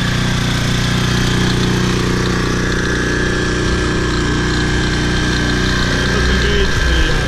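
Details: Toro Personal Pace 20333 22-inch mower, Briggs & Stratton 190cc engine, first start after new aftermarket carburetor and correct governor fan shoulder bolt: steady even putter at constant speed, no surging, healthy idle.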